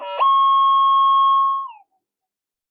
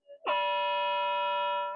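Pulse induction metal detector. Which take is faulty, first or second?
first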